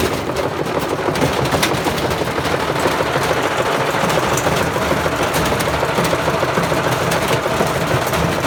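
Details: Bosch Classic 6 1200 Express washing machine hot-wired straight to the motor, top ballast removed, loaded with objects: loud ragged banging about three hits a second over harsh rattle as the drum slams around, gradually tearing itself apart; cause suspected.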